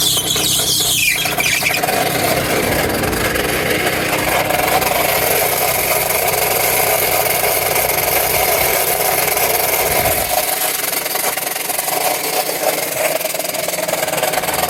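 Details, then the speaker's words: Car with running engine: harsh, irregular metallic rattling and scraping from the AC compressor. The bearing snapped off the piston, rattles, spins unevenly and seizes, which burned and threw the alternator belt with smoke. "Well, that is is the bearing it snapped off the piston and uh it's rattling around and not spinning properly and it seizes and locks"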